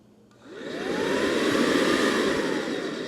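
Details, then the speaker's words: Brand-new Mercedes M272/M273 electric secondary air injection pump, bench-tested before install for comparison with a worn one: brief rising motor tone, then smooth steady rush of air with no bearing whine; normal. "Can you hear that difference? That's air volume movement. We're not picking up that whine of worn out bearings."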